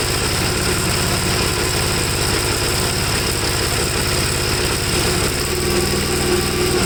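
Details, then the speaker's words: 1954 Gravely single-cylinder after carb cleaning, seemingly flooded and started without choke; it runs rich, stalls when leaned, and has a black, fuel-fouled plug; putts unevenly with beats bunching and stumbling; cause unclear. "i don't know to me it's just running too rich no matter what i do and it can't be that both carburetors are doing the same exact thing"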